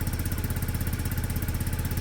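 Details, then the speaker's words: Peugeot Satelis scooter being restored, just started cold with automatic choke, not wanting to rev yet: steady even putter at quick idle, about twelve beats a second, no misses or knocks; normal cold idle. "start back up doesn't want to rev yet but the automatic um choke"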